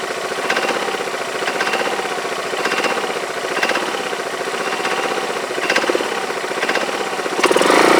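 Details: Yamaha Majesty scooter idling on the lift with the parking brake on: a sharp metallic clank about once a second over a steady rattle and uneven idle. The owner suspects the CVT clutch but is unsure whether it is normal; cause unconfirmed.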